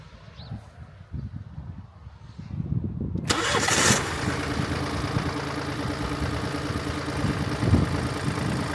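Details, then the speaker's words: Mini F55 1.5 diesel with intermittent no-start, after checking starter cabling (alternator belt and tensioner recently replaced): quiet, then quick crank and clean catch into a steady, even idle with no stumble; started a little nicer, starter replacement considered if fault returns. "Started a little bit nicer."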